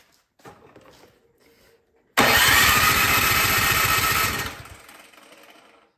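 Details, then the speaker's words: Troy-Bilt Storm 2665 snowblower left all summer with gas in it, choke on, primed, spark plug back in with starting fluid in the cylinder: about two seconds of steady cranking with no firing, then it winds down; owner suspects a clogged carburetor from bad gas. "I'm thinking that the carburetor is is clogged up got bad gas in it so the spark plugs back in put that on interesting it doesn't even want to fire that way"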